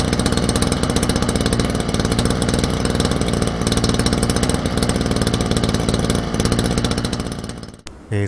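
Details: Small two-stroke brush cutter started cold by recoil pull with choke then choke off: buzzing along at a steady fast idle, even firing with no stumbling, then cuts off; normal.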